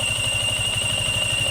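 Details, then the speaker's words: Yamaha Sniper 155 FI at idle after warm-up with radiator fan running: steady high-pitched whine over quick, even idle pulses from the water pump; the bike also threw an oxygen sensor error code. The pump is to be dismantled. "Soonansin niandar na anghang radiator fan pero ang ihang oil pump water pump niya nagsigi panaghoy na siyang disbantulon tana na to kung nahitabo sa water sa water pump niya"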